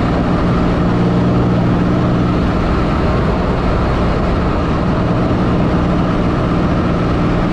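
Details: 1984 Fiero wide body with 3800 V6 swap, driving after new header gaskets and a V-band clamp: smooth low engine drone under load, no ticking or puffing; the exhaust leak is fixed.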